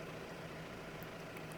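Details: Mahindra Roxor turbo diesel, idling after a Dirt Legal intake retaining bracket was fitted to stop overboost intake leaks: a steady low rumble with no hiss or puffing. The owner says it sounded weird before and suspects the leak; it now sounds healthy and leak-free.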